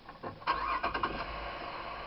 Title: Popping noise